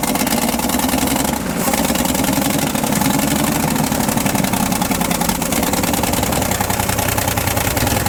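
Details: 1960 Ford F-350 revived after sitting 34 years, new flywheel ring fitted; steady, even idle with low regular beat, no knocks, misses or grinding; running healthy.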